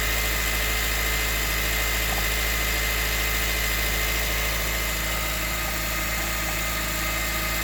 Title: CR-V Hybrid 2019 - knocking sounds on cold start